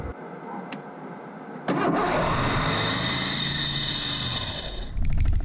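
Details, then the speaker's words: 1984 Ford LTD Crown Victoria under restoration, distributor and automatic choke work: cranks, catches, holds fast steady high rev without settling; throttle held by hand to lower it; owner suspects too much fuel, unconfirmed. "he's really think we're kicking up that uh that rev yeah and I think maybe if I just hold it like this it won't be so insane"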